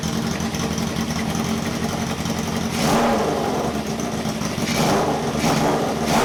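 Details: 1978 cafe scrambler hybrid bike build, four exhausts: rough, stumbling running through rev blips with a puffing tick near the pipes. A valve is confirmed not stuck and all four pipes get hot, but it still misfires.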